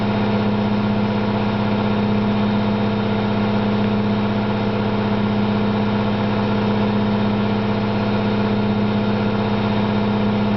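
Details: Candy GO4 127 DF washing machine on spin: a steady loud droning rumble with a fixed hum from worn drum bearings, said to be loud rather than badly failed.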